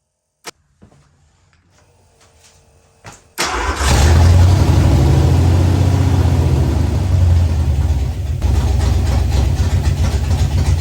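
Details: Ford Fox-body Mustang, rebuilt 302 V8 with new cam, after adjusting ignition timing. Cranks briefly, catches, settles into a steady deep burble with no knocks or misses: normal idle.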